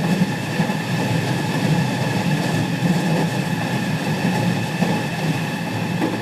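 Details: Onboard KuMoHa 207-1037, JR 207 series 1000 T17 set with Toshiba GTO inverters, Tokuan–Konoike-shinden, Jan 2017: steady motor tones with a doubled beating whine as the Nishi-Akashi/Shin-Sanda side inverter modulation is out of sync with the normal Kyoto/Kizu side.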